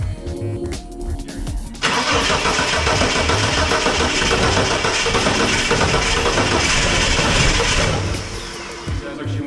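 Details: Ford XE Falcon, electric fuel pump fuse just installed; even cranking about three and a half beats a second, nearly catches but never fires; crank no start, fuel pump still not heard running.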